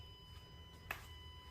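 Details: New Tesla Model X Plaid parked in a garage and switched off with nobody inside: a faint, steady, high-pitched electrical buzz at a constant pitch. The source is unclear, possibly the passenger side; the owner is testing whether disabling Sentry mode stops it.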